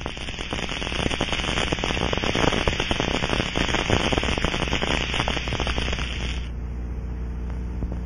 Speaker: we then scan following the rushing sound in certain cases you may hear a crackling sound from residual fuel in the tank as it is forced through the leak hole